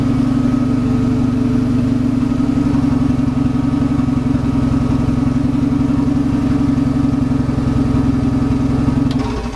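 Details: VW Golf Mk1 4Motion AWD engine running again, ECU and fuel pump powered via kill switches: steady high idle, smooth and even firm low hum with no knocks or misses, healthy.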